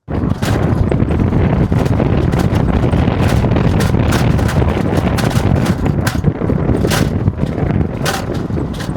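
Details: Tesla Model 3 driving: sharp irregular clicks and rattles over road rumble from loose plastic aero wheel covers, fixed by checking the metal parts and securing the covers with cable ties.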